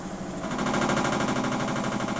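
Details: Miele W 5963 washing machine during spin: fast, even rattling pulses over the drum's whir. The noise came back after a shop repair and is getting worse; cause not yet clear.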